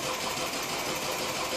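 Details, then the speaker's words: Car just after fuel filter replacement: starter keeps spinning the engine at an even pace but it never fires or catches; crank no start from airlocked fuel system, needs filter bled. "and it's not going to start and it's never going to start in actual fact you're probably going to drain the battery before you even get the the car to start"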